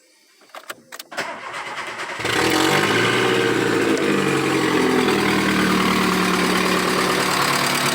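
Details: 1997 VW Gol AT 1.0 8-valve at idle during a partial overhaul, with the noise commonly blamed on lifters (tucho); fast light ticking about four per second over a steady idle, typical of a leaking exhaust manifold.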